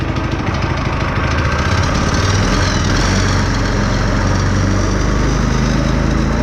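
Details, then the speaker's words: Go-kart small single-cylinder engine just started after a newly installed torque converter, choke turned off too soon; runs at a steady, even buzz with no knocks or rattles, converter driving smoothly; normal running. "there we go running Oh turn the choke off too soon ah dang it"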